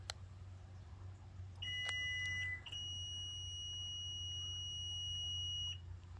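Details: Toyota Venza with a power rear liftgate that stopped working; in a quiet setting it gives a short high beep and then a steady tone of about three seconds, and the liftgate refuses to close.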